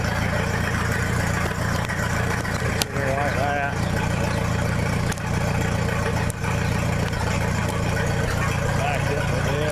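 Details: 1966 U302 Super tractor idling under its own power after earlier rebuild issues were corrected: a loud, steady low rumble with an even firing beat and no knocks or misses, open exhaust but healthy.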